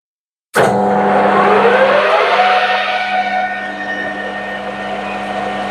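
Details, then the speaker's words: Lathe slowed from 1200 to 900 rpm with cutting fluid added, tool deepening a rivet dimple: steady piercing ring with shifting squeal tones, barely changed by the lower speed; tool chatter persists. "go well didn't make a lot of difference on the noise level or chatter"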